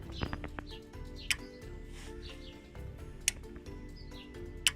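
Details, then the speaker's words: Nissan Navara D40, relay for 52-inch LED light bar wired through ON-OFF-ON switch to main beams, tested with main beams on: three crisp clicks a second or two apart; relay pulls in cleanly as it should. "yep, clicking the relay."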